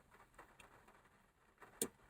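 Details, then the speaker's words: VW Beetle during complete rewire: two crisp clicks about a third of a second apart in near silence, the main beam headlight relay switching normally. "That's the relay for the main beam. So I've already done that."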